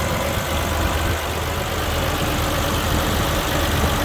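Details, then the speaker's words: 1967 Rambler 199 after new exhaust manifold gaskets and heat valve fix: warmed up, low smooth idle around 650 rpm, even pulses with no ticking or exhaust puffing, very little vibration; normal idle. "She's running a lot smoother, a lot quieter. I'm not sure if you can hear it, but she is just idling happy as could be. Right at about 650 RPMs, and she is smooth as silk."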